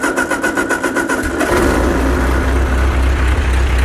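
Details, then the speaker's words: Ford 8N tractor being converted to 12 volts, restarted after fuel was turned back on: short burst of rhythmic cranking, catches within a second, settles into smooth, steady idle; clean start. "what a piece she purrs like a kitten"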